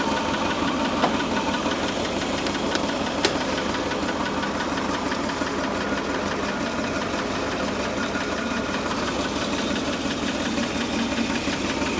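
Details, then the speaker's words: Old Mercury Ford 260 V8 with new lifters, idling: fast ragged ticking knock about three a second; timing found about 60 degrees before TDC versus 6–10 spec; ignition over-advanced. "So it looks like I'm about 60 degrees before. We need to come way off of that."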